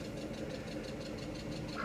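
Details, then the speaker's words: 1997 Mercedes S500 Coupe (W140) after Blue Devil head gasket sealer treatment, at operating temperature about 6-7 minutes after start: steady idle with light regular quick tick, clearly from left side of engine; cause unknown. "It sounds a little ticky, a little ticky-tacky. We are about 6 minutes in. I started this 2 minutes later, so we're 6 minutes, almost 7 minutes in. It is up to operating temperature now. Whatever that ticking is definitely from the left side of the engine."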